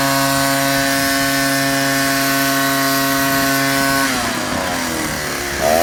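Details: Ryobi 38cc two-stroke backpack blower blowing wet, heavy grass and leaves after a cold start: high, steady scream at full throttle that dips briefly under load and then recovers; normal full-throttle run.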